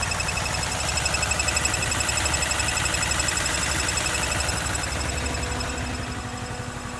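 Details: 2013 Honda CBR 250R ABS, single-cylinder, 6 months old, 2500 km, after second service and an oil change to synthetic Honda oil. A busy metallic rattle over the steady low idle thump, from the engine or gearbox; the service center is unsure why.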